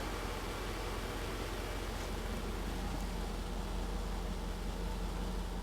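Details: Mercedes R107 380SL 3.8 V8 just after replacing bad distributor cap and rotor: even, steady idle with no misses or pops under background hiss; started without misfire, ignition running smoothly.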